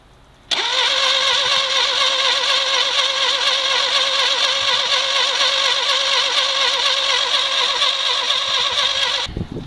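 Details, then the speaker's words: 1968 Fiat that sat about 30 years in a garage, first start attempt: the starter churns steadily about four pulses a second for nine seconds and never fires. Crank, no start with no spark; spark plugs, condenser and points to be replaced. "so after amazingly getting this Fiat to turn over we couldn't quite get it to run so we figured the first thing we would replace would be the spark plugs and after that the condenser and the points"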